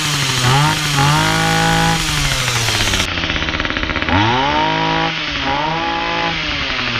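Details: Titan combi multi-tool two-stroke with a cheap replacement carburettor and the attachment fitted, cold start after priming: revs up cleanly and drops back smoothly without stumbling. Runs properly; idle slightly high.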